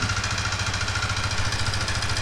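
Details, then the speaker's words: Black Yamaha R15 at 30,000+ km, at idle: loud, fast, even metallic clatter from the cylinder area; piston and rings knocking, caused by engine oil running dry from not changing oil on schedule. "เมื่อได้ยินเสียงนะครับในเจอเสียงของลูกสูบและแหวนนะครับที่ดังอยู่ตรงห้องเสื้อตรงนี้นะครับอาการนี้มีสาเหตุหลักสาเหตุเดิมคือน้ำมันเครื่องแห้งนะครับ"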